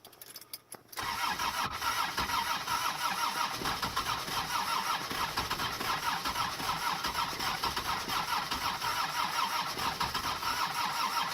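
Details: Mercedes OM617 diesel swapped into a Toyota pickup, after replacing the injector nozzles: steady starter churn with a rough pulsing beat around three per second, but it never catches; cranks but won't start, cause not confirmed.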